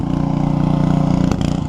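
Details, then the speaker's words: Generator with a newly fitted muffler, much quieter than before, recorded from well back and possibly low on gas: a steady, even low thrum with quick regular exhaust pulses, no knocks or misses. Normal running. "there you go she runs it actually I mean probably do you guys have doesn't sound any quieter but to me not being around it it's a whole lot quieter"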